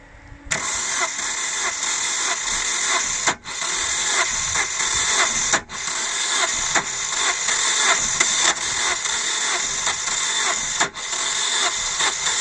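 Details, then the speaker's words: 2000 Holden Astra, 1.8 L 18XE: starter spins steadily in long bursts with short pauses, no catch or firing; no spark or injector pulse seen, crankshaft position sensor suspected and to be replaced, not confirmed. Long crank, no start. "I observed the cranking of the engine the sun is like there is no firing uh coming from the spark plug and it seems that the fuel injector is not also um delivering period so my suspicion guys is the crankshaft position sensor"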